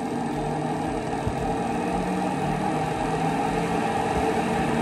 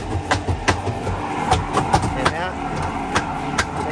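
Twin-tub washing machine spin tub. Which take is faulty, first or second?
second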